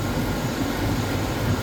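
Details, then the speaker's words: 1999 GMC Sierra V8, 261,000 miles, on cold startup: lumpy, uneven low idle rumble, misfires on cylinders 8 and 4, then all; intake manifold leak found, manifold removed, cleaned and replaced. "And number 8 is the one that's misfiring. Oh, now all of them. Okay, now see if there's a vacuum leak on the intake manifold."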